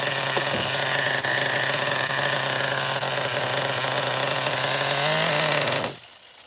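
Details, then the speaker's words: Schumacher XTR-3E nitro stadium truck on fuel with too much oil (about 16%): a steady low-revving buzz that creeps up slightly, then cuts out, running too rich and won't rev. A slight air leak is suspected, and the mixture will be leaned out. "I'll I'll lean it out a little more so this fuel is actually not the best it's like 20% uh 16% oil it's too high oil content"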